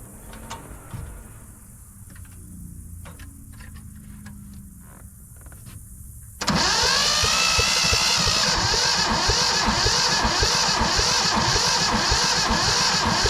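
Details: Yanmar 1500 two-wheel-drive diesel tractor said not to run, cranked with the decompression levers open: after a quiet pause the starter gives an even, fast crank near four per second. Turns over but never fires; fuel system being bled.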